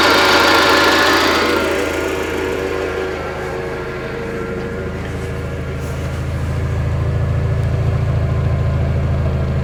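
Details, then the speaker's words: 1995 Mitsubishi Expo after engine overhaul (machined head, new rings, new seals): low steady thrum settling from a brief high rush into an even idle with a regular beat, no knocks or misses; shut off before fully warm, low on antifreeze; normal idle. "Sounds good back here. Well, sounds good. Head is machined, new rings, new seals."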